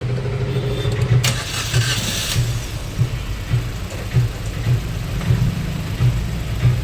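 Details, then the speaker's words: Maruti Suzuki Ertiga petrol with aftermarket CNG, at idle: rough, lumpy idle with heavy uneven thumps, severe misfire running on only cylinders 3 and 4 while 1 and 2 are dead; unplugging their ignition coil changes nothing. "आप देख सकते हैं engine में बहुत ज्यादा missing है मतलब दो सिलेंडर प चल रहा है"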